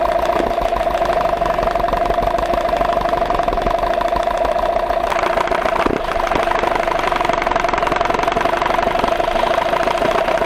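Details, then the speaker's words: Idling two-stroke outboard with a light, fairly even knock about four a second under its buzzy drone; play found in the crankshaft, especially the piston pins. "я решил вам показать что действительно на данном коленвалу есть стук особенно в поршневых пальцах"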